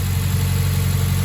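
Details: Mazda 3 cold idle after new NGK spark plugs and breather filter, relearning idle: steady, even low hum at raised cold-start idle, no misses or knocks; running fine.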